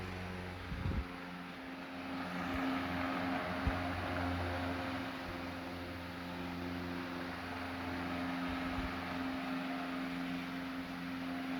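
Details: Late-1910s/early-1920s Marelli Bisa 12-inch oscillating table fan switched to medium: steady low hum with a soft even whir and no knocks or rattles; running smoothly and normally.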